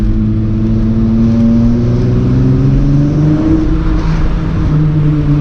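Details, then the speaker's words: Mk3 Jetta VR6 driven after swapping in a 1.8 axle from another car: smooth engine pull rising and settling with road hum, no clicking or popping under load; axle good. "Yep, I feel like my axle's good to go. I don't hop back in and rip it a little bit."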